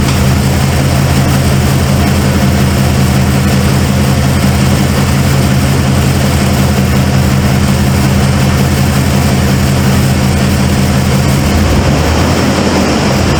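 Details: Cold start of a 1995 Ford F-150 V8 barn find: a deep idle with an uneven, lumpy beat. The owner suspected plug wires or firing order, and a passenger-side plug was gas-fouled. One cylinder is dead.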